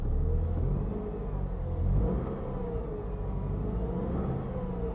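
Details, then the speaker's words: GMC at salvage auction, 94,966 miles, low coolant and check engine warnings: a couple of smooth even revs with a steady low drone, no knocks or misses; sounds good, though owner suspects it is out of coolant. "sounds good i'm gonna shut it off pretty quick because i i think it's out of coolant"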